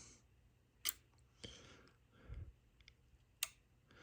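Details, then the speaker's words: Yaesu FT-757GX radio opened up with the PA cover off, being debugged for a power button fault: a few sharp relay clicks when the power button is pressed, but the fan never spins up and the radio does not boot; owner suspects the clock crystal or CPU. "so yeah so when I hit the power button you can hear the relay key we're clicking and then the fan doesn't goom that means it's it's not booting"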